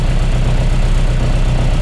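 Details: Mk1 Austin Mini with an Arden 8-port head during cold-start mapping, idle target 950 rpm at an air-fuel ratio of about 13.5: low, even rumble with no misses or hunting. A healthy idle.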